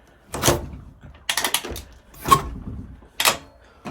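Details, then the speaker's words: WR450 engine in YFZ450 hybrid quad, plenty of compression; slow uneven kicks about once a second, each with ratcheting gear clatter as the starter is dragged round by the kicker; owner suspects failed one-way starter bearing. "whenever I would kick over the kicker, you could hear the starter turning. So I'm assuming the one-way bearing is out."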